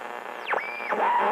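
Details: Delco 985672/985916 AM radio for 1964-66 Chevrolet trucks, bench tested, tuner needing adjustment and cleaning: whistles swoop through hiss and static while dialing, sports broadcast received; radio works, normal AM reception.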